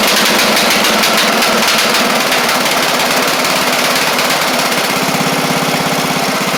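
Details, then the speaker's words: Craftsman LT1000 mower with Briggs Intek engine revving high after head work: a blubbery, uneven beat around three per second instead of a crisp drone, sounding rich at speed. The carb or mixture screw is suspected; unconfirmed. "we all heard it it ran okay until you got it up to the higher speeds and then it sound like it was running rich really rich"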